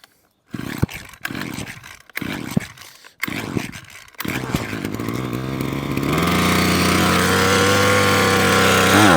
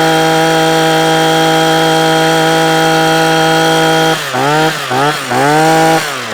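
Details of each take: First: Parkside (likely SK1E34F-LD) petrol hedge trimmer that keeps cutting out, primed about 15 purge-bulb pumps and choked; several failed pulls, then it catches and revs to a steady high buzz; stiff carb metering diaphragm and blocked fuel screen starving it. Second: Parkside two-stroke hedge trimmer after a new carburettor diaphragm and a cleaned fuel screen: a steady high buzz, then clean rev-ups and drops with no stumbling or cutting out. It runs as it should where it used to cut out after two or three minutes.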